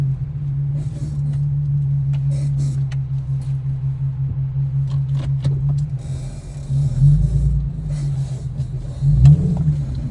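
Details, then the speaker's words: Infiniti Q50 driving: sharp, irregular knocks and clicks over road rumble after bumps and when turning, coming from the passenger side. "car makes this sound after going over bumps. Let me let this window down so I can hear it, because it's coming from the passenger side."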